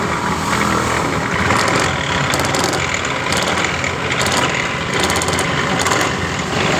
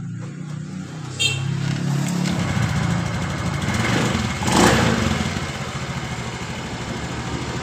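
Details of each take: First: 2015 Honda Beat Pop scooter: coarse, rattly roar from the engine when the throttle is opened, instead of a smooth whir, felt through the engine; worn CVT variator rollers and damaged roller housing. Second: 2015 Honda Beat Pop scooter after replacing variator, roller housing, rollers and rear pulley bearing: idles and revs cleanly, pitch rising and falling with throttle, the earlier rough knocking noise gone.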